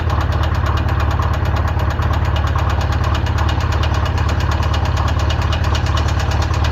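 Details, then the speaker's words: Polaris RZR freshly built engine that had locked up, freed and run on Lucas oil; about 30 minutes runtime: heavy steady knocking, several hits a second, over low idle; worn rod bearing. "Still knocking like crazy, but it's still running. I am completely impressed that it's still running this long."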